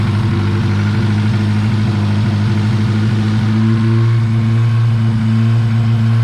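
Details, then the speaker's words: 1986 Honda Civic, carbureted, cold on choke, air cleaner off: strong, fast, even idle with deep steady drone lifting slightly midway; broken, leaking vacuum ports incl. vacuum block; cold fast idle with vacuum leaks. "so so currently the choke is working and uh idling the car up as it should but i have a few uh vacuum ports that are leaking and broken so i'm going to address that"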